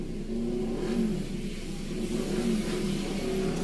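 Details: Petrol engine with a cylinder 4 misfire, fault code P0304, revving with a rough, wavering drone.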